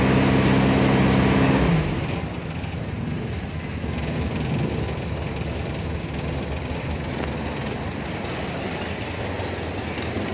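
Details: Toyota Tamaraw FX petrol engine after a cranking no-start, fixed by moving the yellow ignition wire to a positive terminal to power the ignition coil; steady even low rumble at idle in neutral after a couple of seconds, no misses.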